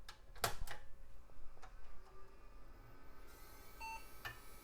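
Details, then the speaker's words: Telstar desktop PC, powered on after teardown: quiet clicks, one short POST beep, Western Digital hard drive whir winding up slowly; posts normally. "All right. Happy sounds and it's posting. Hard drive sounds happy enough. It did chug a lug a little bit."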